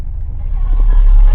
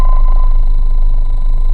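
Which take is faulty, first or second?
second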